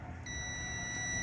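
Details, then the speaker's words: 2013 Subaru Forester engine harness ground check, multimeter continuity on negative battery ground cable; steady high beep, reading zero, cable has no breaks inside. "and you hear that tone and it zeros out I don't have the best connection back there cuz I'm not holding it personally but you get the idea that tells me that that cable right there has no brakes inside of it"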